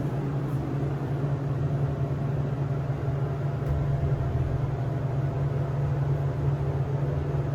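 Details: SEIM screw pump on a hydraulic elevator modernized a few months earlier, heard in the machine room: a constant droning low hum with a steady buzzy tone and no change in pitch; the pump runs noticeably loud.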